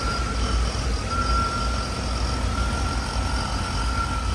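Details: 1984 Chevy K20 with 350 V8 after sitting 7 years, following spark plug and oil change: even steady low rumble, no misses, knocks or ticks, settling in well; normal idle.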